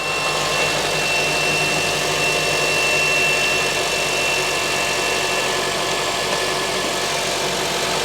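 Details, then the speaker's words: 2007 Honda CR-V at idle after replacing the belt tensioner (belt kit), AC still off: steady, even hum with no chirp, squeal or rattle; the earlier belt noise seems fixed. "so far sounds good we're going to turn the air conditioner on and see if it makes that noise again"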